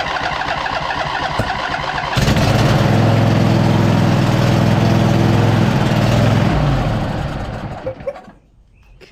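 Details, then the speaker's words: 2007 White Outdoors (MTD) CT54 zero-turn with a Briggs twin that sat 3-4 years, run on a jumper pack with starting spray and the fuel pump working. After a few cranking bursts it catches, runs steady and strong on both cylinders, blows rusty water from the muffler, then is shut off. "well fired right up after a second uh it sounded like it was running on both cylinders"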